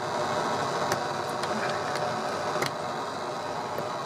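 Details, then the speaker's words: PC speakers through an amplifier (ground loop ruled out): constant hiss and buzz with faint ticks, dropping when USB audio is unplugged and silent with all inputs removed, so the amplifier isn't the source; interference source not yet found. "you can hear it's gone down a little bit now i'm gonna unplug the main audio"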